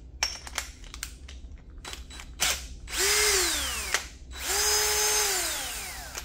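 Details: Older drill running free: two clean trigger pulls, the whine climbs smoothly to speed and winds down with no knock or rattle. The owner says a knock appears only with the wire brush or three-quarter bit.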